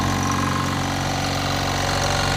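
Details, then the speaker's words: Aimtools 1100W 50L oil-free silent air compressor (twin-cylinder, cooling fan each side), new, filling the tank: steady even motor hum with smooth fast pulse, no knocks or rattles; very quiet and builds pressure quickly; normal running. "so there's the compressor running um honestly it's so quiet and it builds up to pressure so quickly"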